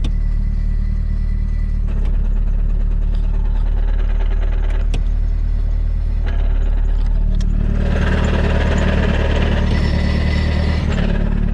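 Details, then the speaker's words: Nissan S13 Silvia, turbo SR20 with 6-speed swap, idling: irregular light knock appearing only when clutch pedal is pressed, attributed to thrust/release bearing; owner says it always does this. "I don't know if you can hear. That knocking noise. I thought I spun a bearing in this fucking thing when I picked it up, but it's actually just when you push the clutch in."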